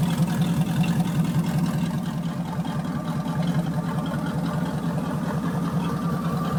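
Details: 1979 Chevy 350 V8, first cold start after years unstarted in winter, temperature still cold: a smooth, even low burble with a steady beat and no misses or ticking; normal idle.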